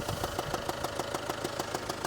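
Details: Land Rover Discovery Sport, Ingenium diesel, idling while being moved: sharp even ticking about six or seven per second over the idle, engine smoking; cause unknown, owner hopes something came loose.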